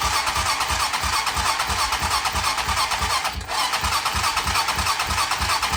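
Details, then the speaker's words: 2007 Hawk 250 Chinese single-cylinder dirt bike, cranks but won't start: during compression test with plug out and gauge fitted, starter cranks steadily about three pulses a second, even and unresisted, never firing; compression reads about 65–75 PSI. "Make sure that it's actually on, and it is. And it still don't want to start for me, so we'll jump that again."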